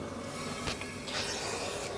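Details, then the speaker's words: BMW 335i E90 N54 spare engine, leak-down test at top dead centre (cylinder four down 35–40 psi); steady airy hiss of pressurised air, slight leak at rocker cover but most escaping through the exhaust. "but the most leak is coming out of the exhaust hopefully you can hear that"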